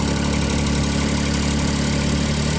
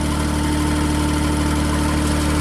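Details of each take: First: JLG Baby Scissor lift small engine, cold day, new crankshaft position sensor fitted; idle starts even, then with a function engaged engine speed swings up and down every two to three seconds. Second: JLG Baby Scissor lift small engine after new crankshaft position sensor was backed out another turn, 2 turns total; engine speed reads correctly, steady even idle with constant hum, no stumbling or hunting.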